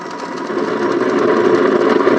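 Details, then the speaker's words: Aiwa TR-730 or Elizabethan Popular 200 open reel tape recorder under test: steady hiss with faint thin whine that swells slightly; unclear whether empty tape noise or a fault. "I can't tell if that noise is is that an empty tape noise or is it um well I don't know"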